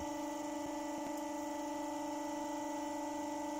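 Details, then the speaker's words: Twin-rotor unit on new double bearings running at about 1460 rpm: a smooth, steady hum at constant pitch with no rumble, knocks or grinding. Much quieter than before; the new bearings run normally. "that's really quiet and we've settled out at 1460 rpm which is quite impressive"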